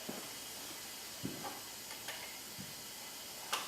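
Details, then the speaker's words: Hyundai Genesis 2.0T R-Spec with milky oil, compression 110/70/90/90, leak-down test showing 80% loss: soft steady hiss of air from the exhaust with faint clicks; exhaust valve leaking (number two suspected), head gasket also possible. "let's crank it see what we get we got 80% blow by summer sure signs like it's the exhaust site"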